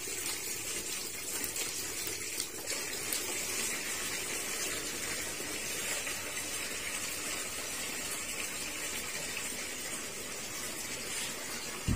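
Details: Sanyo washing machine after repair of a fault where it filled then leaked water out: strong steady rush of water pouring in without sputtering or stopping; filling normally.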